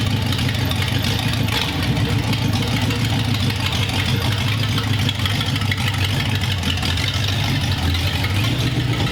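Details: 1932 roadster with a newly installed engine, running in the car: even, steady low burble with no misses, knocks or stumbles; a healthy idle.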